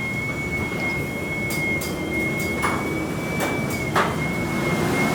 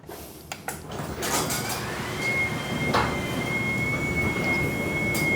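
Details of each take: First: Garage door sound test before installing commercial green hinges and roller sleeves: steady high whir as the door travels with scattered light rattles and clicks from rollers loose in their sockets and hinges. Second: Garage door after installing commercial green hinges with springs and wheel sleeves: smooth low rumble with faint motor whine, no squeaks or rattles; much quieter than before.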